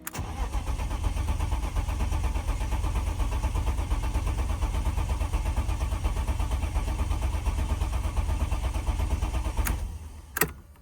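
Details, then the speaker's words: A BMW E36 that had been leaking fuel is cranked after the fuel leak repair. Steady cranking runs several seconds, then the engine catches and settles and the fuel pump is heard. It starts normally with no leaks. "But that's a really good sign. It's already running. Everything's good realistically."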